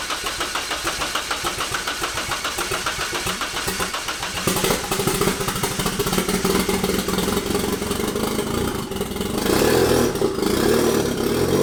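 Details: Nissan 240SX KA-T drift build at first start after turbo, manifold and intercooler install, still on stock ECU with bigger injectors untuned: cranks, catches and settles into a loud, uneven, lumpy idle through open exhaust; likely running rich, cause unconfirmed.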